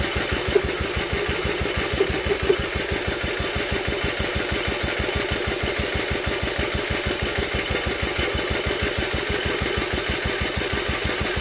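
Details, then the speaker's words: Old Villiers engine on an Atom, drill-cranked with a strong spark: even rhythmic chuffing at about two strokes a second, never firing. The plug stays dry despite the cranking; a blocked jet is stopping fuel being drawn up. "it just weren't getting fuel up it just weren't pulling fuel up the plug was just not getting wet even with all that cranking the plug should have got soaked and it didn't unfortunately"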